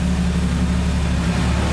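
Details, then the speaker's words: 1982 Ford Cortina TE Mk4 80, 40 years old, carburetted six, started cold after fresh oil and filter: starts easily and idles quietly with a steady low rumble and even firing beat, nothing knocking or rattling; owner unsure whether it's been worked on. "we'll have a listen reach in it starts quite easily pretty quiet i don't know whether it's been worked up or not maybe maybe not pretty decent car though"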